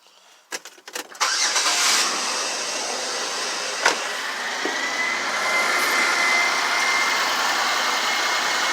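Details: 2005 Pontiac G6 after front catalytic converter replacement for P0430, previously rattling like rocks inside: a few clicks, engine catches and settles into smooth steady idle, no rattle, ticking or exhaust leak; normal start and idle.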